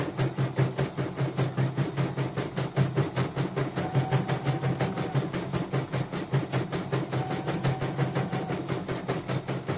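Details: Portable embroidery machine shipped from Sekayu, South Sumatra with complaints of no embroidering, blank screen, hoop not positioning and dead touchscreen; test stitch after mainboard, LCD and touchscreen work: even rapid needle ticking with light motor hum, smooth and regular; normal embroidery stitching.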